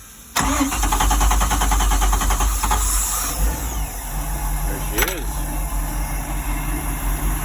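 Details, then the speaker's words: Free used boat engine cranked at the starter solenoid with fuel pump priming and clean fuel; brief crank, catches at once and settles into a steady, even idle with no misses or knocks; normal start and idle. "a runner actually it's running really good idling nice he's doing good"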